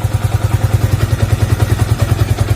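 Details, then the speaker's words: Yamaha Vixion (2000-2011 model) engine hot, above 100°C: heavy rhythmic thumping about eight per second at low idle, rattle near clutch that changes when clutch pulled; suspected worn clutch-housing rubber dampers, being replaced; clutch rattle. "jadi ini sebagian kopling sini ini bunyi juga temen-temen tertutup tapi ketika kita pakai kopling nah suaranya jadi dingin"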